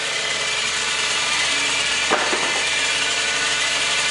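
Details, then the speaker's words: Audi S4 engine running in park with no timing chain noise, but a loud, steady, harsh rasp from the transmission that goes away in drive; transmission is shot. "fired up as you can see no chain noise you're about to start hearing the trans make a shitload of noise right about now"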